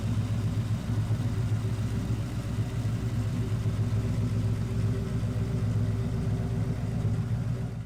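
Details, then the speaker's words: 1999-2004 Mustang GT turbo build after Edelbrock Victor Jr. intake install with return-style fuel system: deep, even V8 rumble, steady beat, no hiss, tick or stumble; no leaks, intake sealed, running perfectly. "Well guys, as you can see, the car started up nice and it ran and sounded real good. So no leaks on the car, the intake ran great, looked good, everything's running perfect, so that's good."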